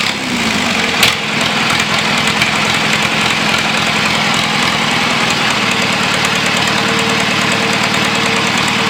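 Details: John Deere 2640 diesel tractor being revived, on a new battery: it fires with a pop and settles into a loud, raspy unmuffled clatter, steady at part throttle. Normal running.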